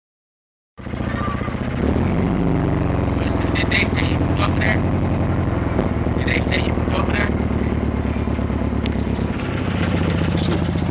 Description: 99 gst spyder. down an injector and throwing codes for egr and tps.